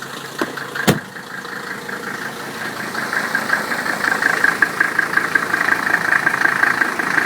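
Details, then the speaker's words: 1985 Mercedes-Benz 300D diesel, 307,000 miles, started with hood open; starter catches and settles into even diesel clatter with steady ticking, sound healthy idle, engine runs fine. "Engine runs fine."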